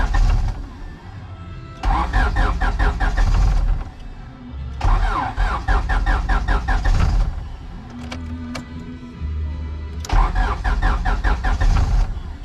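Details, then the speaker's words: Turbo H2B car with a newly installed distributor on a battery jumper: three bursts of rhythmic starter cranking that never catch. It cranks but won't start. "oh why why why won't it start oh my god it's almost"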